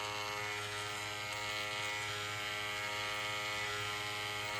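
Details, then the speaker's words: Wahl 108 hair clipper after replacing the badly worn small blade: steady thin motor buzz with a faint rattle. It is quieter than before but still noisy from worn internal parts. "Ó, já deu diferença até ruído. Mas o mais importante aqui, ó, aqui tem peças desgastadas. Claro, vai ficar barulhenta."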